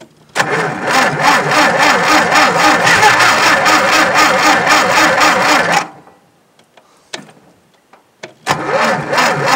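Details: Tractor cranking on a nearly dead battery, with plugs the owner believes fouled again: sluggish, labored cranking at about four turns a second for six seconds, never catching.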